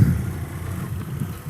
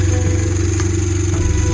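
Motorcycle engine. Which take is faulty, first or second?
second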